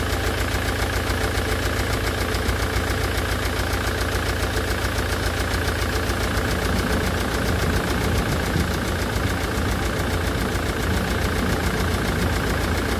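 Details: Land Rover Defender Puma 2.4 TDCi diesel after rebuild (new wiring loom and oil pump), idling during coolant fill and bleed in cold weather; an even, rhythmic clatter at constant speed with no misses or hunting.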